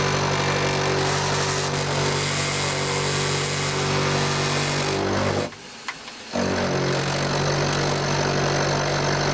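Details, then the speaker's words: Mini lathe motor hum with a harsh, buzzy rattle from the loose top cover with taped interlock switch, which sometimes pops open; cover vibrating on top of the lathe. "So up on top of the lathe here, we got this cover. There is an interlock switch. I've got a bit of tape on it because it pops open sometimes, but hear the rattle. The cover on the top."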